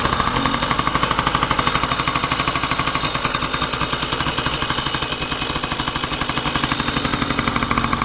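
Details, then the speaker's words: 1990 Yamaha PW50 two-stroke, a marketplace find, on a first start: a buzzy idle with a fast, loose rattle about three times a second from the engine, source not yet pinned down; otherwise it runs very well. "start as you can hear is a little bit of a rattle in the the coming from the engine back we uh look into that runs like a dream"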